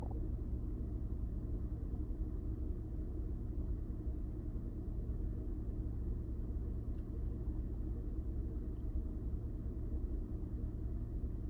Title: 2000 Honda Odyssey - Rough Idle - O2 Sensors.